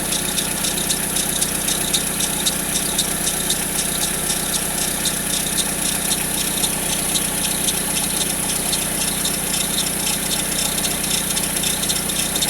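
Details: Peugeot 407, since the timing belt change: a fast, steady rattle, roughly two per second, over a cold idle that disappears after 2–3 minutes warm-up. Cold-start engine rattle, source unknown.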